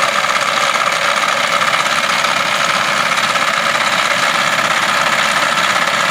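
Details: Engine at idle with the air conditioning switched on: a loud, busy, uneven clatter about three times a second starts once the aircon engages, a clatter under accessory load with the cause unclear.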